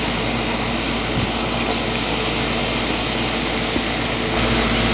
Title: The 2004 Goodman 10 SEER 3.5-ton heat pump running in 90°F heat!